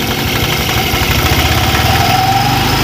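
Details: Honda Vario automatic scooter at idle: rough, uneven metallic ticking about four a second that smooths as throttle rises; suspected slack cam chain tensioner; CVT and front pulley opened for checking.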